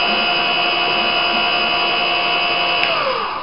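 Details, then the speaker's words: Winch motor run on fast speed with clutch in slip position: steady high whir of constant tone, winding down at the end; motor spins freely with very little pull on the spool, smooth with no jerkiness. "So you can hear there the motor's really spinning now, but still there's very little pull on the winch spool."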